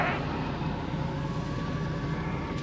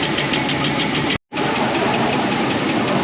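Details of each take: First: 2004 Chevy Express 4.8 V8 idle after engine knock diagnosis: quiet, even low idle with soft steady rumble, no knock or tapping; normal idle. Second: 2004 Chevy Express 4.8 V8 at idle, cold: fast even light ticking from top end, hydraulic lifters tapping; oil pressure adequate, noise fades as temperature rises; diagnosed internally clogged lifters.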